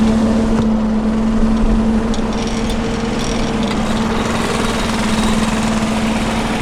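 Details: John Deere 755 tractor on a cold mid-November day, running the hydraulic MCS leaf vac on first use after fixes: steady mid-pitched drone, even and unbroken; tractor running normally.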